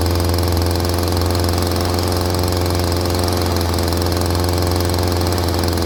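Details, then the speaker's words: Stihl string trimmer (commercial user) that would not rev and stalled, now after carburetor idle/mixture adjustment: steady buzzy two-stroke note, revs freely on trigger with no bogging at low idle, idle slightly fast; normal revving. "So that's what the problem on that one was. As soon as I hit the trigger now, it jumps right up where it's supposed to go. There's no bogging at low idle."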